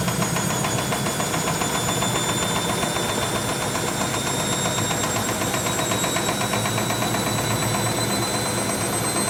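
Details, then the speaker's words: German washing machine on high-speed spin after repaired dampers were fitted, with the cushions removed. It stands on four feet on linoleum over a chipboard floor, unpropped. Constant whine with a shaky cabinet rattle at about four beats a second: excessive vibration, side wall shaking, machine stays put. "Да, ее колбасит. Все равно колбасит."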